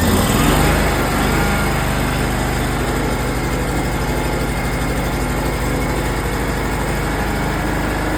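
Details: Simplicity lawn tractor, first spring start after winter in a shed, full choke after long cranking with dry fuel lines: engine catches with a brief surge, then settles into a steady even chug, no misses or knocks; running fine.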